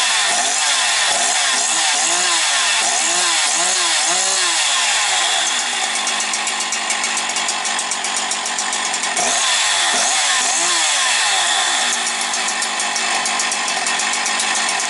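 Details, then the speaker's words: Husqvarna 365 two-stroke chainsaw, well-kept, after purchase: crisp snarl blips up and down several times, then holds a clean steady high rev with no bogging; needs no adjustment. "Бачите, як гарно роби. Не треба нічого рухати зараз взагалі по налаштуваннях."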